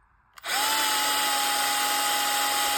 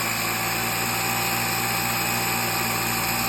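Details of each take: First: Bosch GSR 12V-15 drill with a new motor, case on but not screwed together: steady high whine starting cleanly at an even pitch with no stutter and no smoke; motor runs normally before the case is tightened. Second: Bosch GSR 12V-15 drill fitted with a new motor, running at full power: the steady high whine sags in pitch when the housing is squeezed or screwed together, then cuts out. The motor bogs and often smokes; cause unknown.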